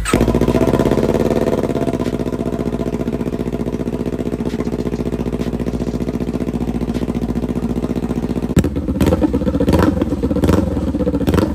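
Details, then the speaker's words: 2021 Kawasaki Ninja 400, rebuilt salvage bike, first start after fitting new slip-on exhaust: deep even idle rising cleanly on a blip, settling with small exhaust pops; healthy, noticeably louder than stock. "that's a big difference do you hear the little Pops in this little 400 it sounds pretty good I'm not going to lie"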